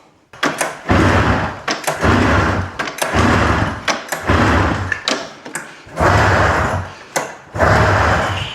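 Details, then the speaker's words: Old Arctic Cat snowmobile that sat outside about 10 years, freed from seizure, with spark and about 120 psi compression, on gas, oil and starting fluid: repeated pull-start bursts with brief uneven sputters that die immediately. Cranks but will not start. "You can hear this thing attempting to fire up, but it just will not go."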